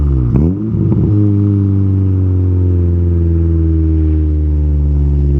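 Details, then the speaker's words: Honda K20A2 engine revved to 8,000 rpm through first to third gear after first start-up; clean rising exhaust note climbs smoothly then holds, no rattles or misfires, healthy. Possible O2 sensor fault or bad relay pending. "all right so you guys can tell based off the sounds on those exhaust tones that this thing rips took it up to eight grand first through third and ad were just like wow"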